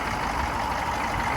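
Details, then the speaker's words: Humvee diesel after fluid service, restarting: steady, even idle with constant low drone, no misses or knocks; engine running smoothly. "All right, let's see how smooth she runs now. Super. I'm gonna flick the key, it's just gonna fire right up. That's clean."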